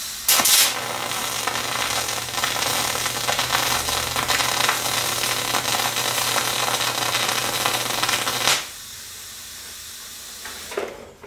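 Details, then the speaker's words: MIG spray transfer on 90/10 gas at 375 wire feed and 31.9 V: a smooth, steady, eerily quiet hiss for about eight seconds with no short-circuit crackle and much less spatter, a normal spray arc. "all right I don't know if you could hear but that was a lot better um there wasn't as much nearly as much spatter um and then yeah that was like a weird Eerie silent sort of deal um I mean it makes noise but it's not like that short circuit uh sound"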